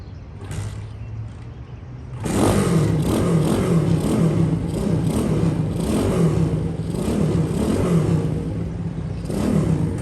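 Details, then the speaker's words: Honda S65 custom with aftermarket Piranha 140cc four-stroke engine, back on road after long storage; fires up after a couple seconds, smooth rising and falling revs, no misses or clatter; runs nicely; normal running. "so it runs nice seems to ride nice but i was hoping to get maybe a little bit more you know ump out of the engine"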